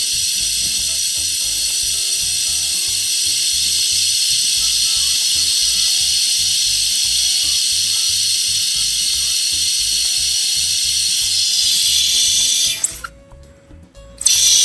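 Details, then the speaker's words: Volvo truck rear air suspension height control (leveling) valve with the engine off: a steady, unbroken hiss of escaping air that never stops. The leveling valve is constantly dumping air. "That's the old dump well. It's just a little bubbles here. It's not big deal at all to dump that much air. So I just keep dumping."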